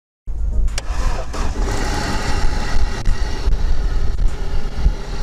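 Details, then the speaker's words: Opel Corsa petrol engine with a fully discharged battery (5.96 V) jump-started from a jump starter lifting voltage to 15.2 V: brief crank, catches at once and settles into a steady, even low-rumble run; normal start, generator charging. "We see, the car started. The generator is working."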